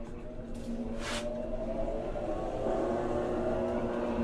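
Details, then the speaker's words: Kenmore top-load washer model 110.20022013 (Whirlpool-made), checked during diagnostic test mode after an off-balance, violent-shaking complaint blamed on worn shocks; steady smooth whirring hum on high spin with no banging against the cabinet. Normal spin cycle. "You can hear it spinning. This would be high spin. We already know it's spinning, so it's fine."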